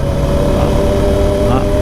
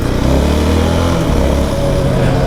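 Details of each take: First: 2019 Yamaha YFM 700R Raptor quad on knobby off-road tires ridden on asphalt: steady droning hum over engine and road noise, the knobby tire howl that makes people turn around. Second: 2019 Yamaha YFM 700R Raptor quad on asphalt with knobby tires: loud steady low drone over engine, building up especially around 50–70 km/h. Normal knobby tire road hum.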